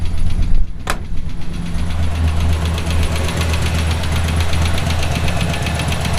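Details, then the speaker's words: Route 66 Buick engine developed a sudden noise while driving: heavy, regular knocking over a deep rumble, increasing with RPM; not exhaust or lifter, seems to come from down low, so rod knock suspected. "it does increase with [Music] RPM it's not exhaust I thought naively for a minute it might have been a lifter it's not sounds sounds like it's coming from down low which of course means rod knock"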